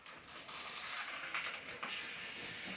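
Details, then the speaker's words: Used air conditioner being moved and reinstalled in a Taiwan apartment: loud, steady, high hiss of gas with almost no low end as refrigerant blows out of a broken line; tube is broken. "Tube is broken. When I hear the sound, I thought it's gonna blast."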